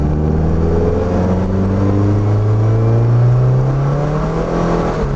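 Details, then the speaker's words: 2.5-swapped NC Miata under hard throttle while data logging: revs climb faster than road speed once past 3000 rpm. The clutch is suspected of slipping; the car also has an unfixed rear main seal leak. "yeah some some things are going on with the clutch i don't know if you can see that or hear it on the camera or not but it's like the moment i get above 3000 rpms it just like slips or something"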